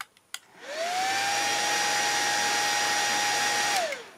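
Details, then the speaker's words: On a 24V 41.7A 1000W Chinese switching power supply module, the cooling fan spins up to a piercing high whine. Its 12-volt fan is wired straight to the 24-volt output with no voltage regulator. "the 12 volt fan is connected straight to 24 volts and that's why it's so extremely loud"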